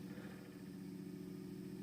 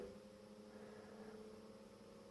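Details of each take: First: Industrial AC fan on a variac as voltage is raised and it speeds up: quiet, even low hum and buzz, with extra vibration noise because cables underneath lift it off level ground. Very quiet when lifted off the floor. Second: Industrial AC fan run from a variac, voltage raised in 50 V steps past US mains but below its 220 V lowest rated voltage. Even, quiet hum with constant tone and soft air rush, no rubbing or rattling: normal running.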